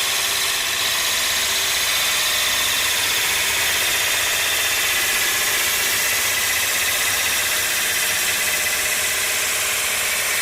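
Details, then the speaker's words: Roughing out an ogee bowl on a lathe, bevel rubbing, handle leaned toward the leg, tool not forced: steady even hiss of the tool shaving wood with no vibration, chatter or snap at the end; smooth cut. "there you see there was no real vibration and no snap at the end cuz I wasn't forcing the tool"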